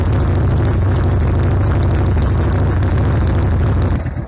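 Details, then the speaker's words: Harley-Davidson Sportster V-twin idling after a carburetor rebuild, warmed up with choke off and carb not yet adjusted. Loud, steady, even thump with no pops or stumbles. Before, it idled a minute or two, died and backfired through the carb. Now normal idle. "oh yeah sounds like it's doing a whole lot better I haven't tweaked the carburetor at all yeah it's idling great"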